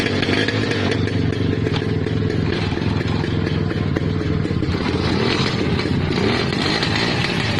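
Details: Restored, previously seized 50-year-old Lambretta two-stroke scooter, kick-started: a busy, rattly two-stroke buzz that holds steady without misses or cutting out; normal running.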